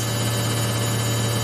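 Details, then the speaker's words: Samsung 8kg Eco Bubble front-load washer, used 3 years, spinning at 1200 RPM after the rinses with 2 minutes left: steady low hum with an even, constant rush, no knocks or thumps; smooth, normal high-speed spin. "It's so stable, so smooth, and very fast. Remember, we've already done the rings, the 4 rings. Now we're just spinning, and this it's doing at 1200 RPM, so fast."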